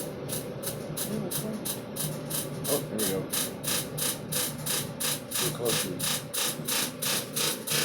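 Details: Samsung dryer running: rough, gritty grinding pulsing about three times a second with drum rotation; noise persists after replacing motor, drum rollers, idler pulley and belt, cleaning blower fan and ducts, and removing a screw from the blower fan; cause unknown.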